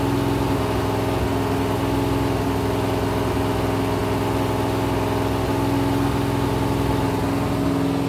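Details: Rebuilt 426 Gen 2 Hemi crate V8 (new heads, intake, pistons) on run stand, flat-tappet cam break-in, 50 psi oil: steady even high idle, smooth continuous drone, no knocks or ticks; normal.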